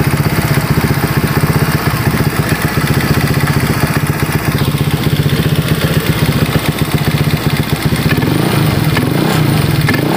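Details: Honda Vario 150 keyless scooter after repair of a no-start fault, fuel pump pressure around 40, radiator refilled: steady, even single-cylinder putter at idle with no knocks or misses; healthy.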